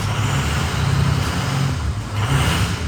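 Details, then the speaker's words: Ford 6.0 Power Stroke diesel at idle, cylinder number five not producing power per power balance test; deep lumpy uneven pulse with a recurring dropout: single-cylinder misfire on cylinder five (before fix). "you guys want to know what a misfire looks like here is what cylinder number five looked like when it wasn't producing any power and you can hear the sound of"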